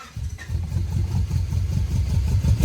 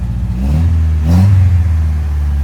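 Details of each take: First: Honda Prelude (3rd gen), flooded on start-up after recovery: uneven cranking catches into ragged revs, then a sharp pop as it backfires out of the intake; motor then sounds happy. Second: 3rd-gen Honda Prelude engine, which had flooded and backfired out of the intake while starting, now revving: a deep, steady note swells smoothly with a quick rev and settles back, with no knock or misfire; the motor sounds happy.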